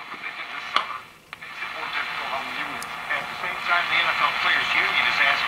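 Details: GE tube radio believed to be an export Model X-216A (possibly same as X-153), brought up gradually on first resurrection: a station's voice comes through clearly over light hiss and crackle, so it receives and plays.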